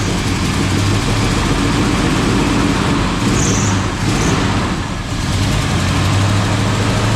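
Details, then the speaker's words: Chevy K10 with a newly built engine, first start before cam break-in: a loping V8 idle with a rough, uneven edge and a faint ticking puff. The header leaks at the flange; owner suspects a crossed plug wire or bad cap, unconfirmed. "The header tube headers. It's leaking between the header and the flange, but it seems like it's got a cross wire or something."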